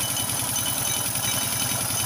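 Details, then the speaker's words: Motorstar Well 125 motorcycle with Dash-type engine, idling with a rapid metallic can-like clatter ringing from the cylinder top end; timing chain seemed fine and oil present; one or two loose screws found on head teardown. "start natin banda dito sa may taas e Sa may cylinder mapansin niyo para may latang tumutunog Ayan oh Okay naman yung timing chain e Napansin niyo y yung latang may kalembang an may langis naman"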